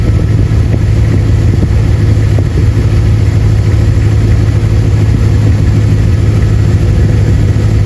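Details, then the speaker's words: Dodge Ram 1500 second gen after replacing the squeaky serpentine belt, power steering routed last: steady, even idle with smooth low rumble and no squeal or chirp from the belt drive; normal idle. "Well, as you can see, we're not squeaking. We are not squeaking."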